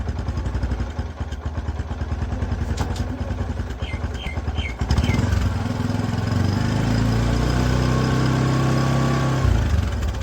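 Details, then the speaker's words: Motorcycle drum brake after a squeal fix and brake adjustment tightening: even idle, then revs climb smoothly in second gear with no squeal, chirp or scrape; normal brake, no noise. "हैं देखिए बिल्कुल भी आवाज नहीं बिल्कुल भी आवाज नहीं दूसरा गियर लगा के और स्पीड करते है देखिए थोड़ा भी आवाज नहीं है"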